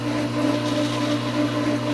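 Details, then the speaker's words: Pool pump at season opening not yet primed, water coming up slowly: steady motor hum rising and falling in loudness, surging back and forth from loss of prime. "you can hear the surging or it goes like this so what's happening is the water is coming up like"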